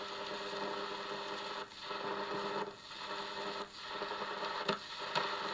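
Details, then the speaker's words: German Graetz valve radio on mains after dim bulb test: only hiss, steady mains hum and crackle while tuning, no station; radio/IF sections not working, mains buzz suggests the output stage probably works. "not functioning in the um radio or if sections Etc to not pick up anything um but it does have Mains Buzz so that looks like it's a reasonable indication that at least the output stage is probably working"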